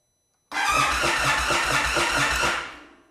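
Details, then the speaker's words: Known-good Indian Chief V-twin, used for comparison with a 2022 Super Chief ABS that won't start (suspected bad crank position sensor): starter spins the engine briefly with even cranking and no odd noises; RPM gauge rises, showing a working sensor. "So that shows you when a crank sensor is working, it is going to make the RPMs rise because the crank sensor is detecting the revolutions of the engine."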